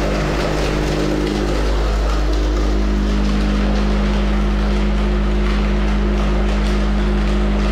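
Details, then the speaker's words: Van Dale silo unloader after setup (dropped in, hung from hooks, cable tightened, greased and oiled): steady even low drone, constant hum, no knocks or grinding; running well, spout slightly hitting door frame. "it seems to be running good okay all right well it seems to be working good"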